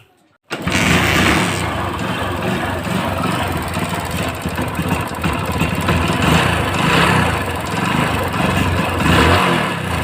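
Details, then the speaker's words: Hero Splendor Plus motorcycle engine: uneven idle with a light, quick tip-tip ticking riding over it; mechanic says piston is striking the valves, not the piston pin. "यह piston चकरा रहा है ठीक है वालों में इसीलिए इस तरीके से आवाज करेंगे"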